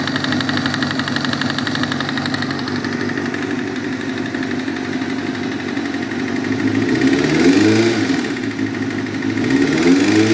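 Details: 1998 ZX-6R motorcycle with a spun rod bearing: a steady, rapid knock about four times a second at idle that sharpens and speeds up as it is revved.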